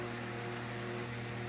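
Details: Morningstar 600V solar charge controller, with a steady low hum and faint high buzz; the manual says switching noise is normal operation and no action is required.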